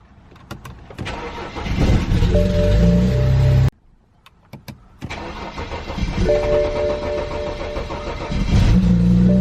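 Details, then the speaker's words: 2008 BMW 335i E90, fuel pump not heard priming fully: starter churns about three seconds before catching, twice; intermittent extended crank, suspected from the original EKPM2 fuel pump control module, later replaced with an EKPM3. "there you go I didn't hear my fuel pump Prime 100% this time and got that crank that's what you can expect it's about that long and it's very intermittent for me"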